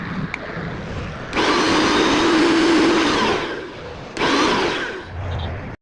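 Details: Mixer grinder after repair of a no-run fault: two short runs of smooth, even high motor whir settling at steady pitch, no grinding or rattle; runs normally.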